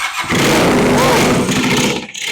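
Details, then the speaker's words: 1979 Kawasaki KZ400 (398 cc) project bike: loud ragged cranking bursts into a rough two-second catch then fades; fires only briefly on starting fluid, no carburettor fuel. "[snorts] Game on. Game on. We're building the bike."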